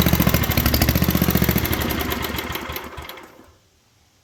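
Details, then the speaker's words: 1967 Unico 7hp tractor, first run in 27 years after carb rebuild, choked, in neutral: engine chugs unevenly about four firings a second, fades and dies; diagnosed as not getting enough fuel, fouling plug also suspected. "Go ahead, let's do some diagnostics. Alright, so I have diagnosed it as it's not getting enough fuel."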